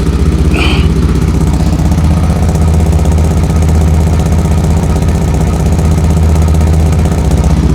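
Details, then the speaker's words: 2004 Chevy Blazer, hot, after replacing a broken muffler bolt: loud raspy idle with low puffing pulses two to three per second; muffler gasket still leaking. "sounds different still pretty noisy cuz that gaskets gone in there"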